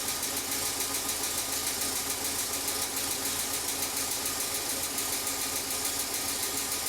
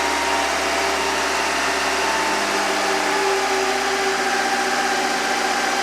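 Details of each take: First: Car engine that sits most of the time, at idle: light, quick ticking about three a second, tied to engine speed; dirty, sticky hydraulic lifter tapping, with Rislone engine treatment being poured in while running. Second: Engine in a car that sits most of the time, after pouring Rislone engine treatment in while running to clean a dirty, clogged hydraulic lifter: smooth, even idle, steady low drone, no ticking from the top end.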